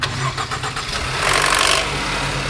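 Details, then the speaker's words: 2016 Range Rover Evoque, first start: hard rapid clatter on cranking that dies quickly once running, absent on second start; mechanic attributes the loud knock to the two pulleys and will replace the kit of pulleys, timing chain and tensioners. "Estamos com uma Evoque aqui 2016 com aquele problema quando vai dar partida, faz aquele barulhão no motor e já some rápido."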